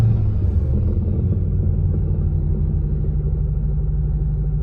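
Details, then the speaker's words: 1977 MCI MC8 bus with newly transplanted Detroit Diesel 8V71TA, first run in 1.5 years: throttle taken about halfway then released; deep diesel rumble eases and settles into steady low idle without hanging up. Normal return to idle. "Give it a little bit of throttle and then let off. Make sure it comes back to idle."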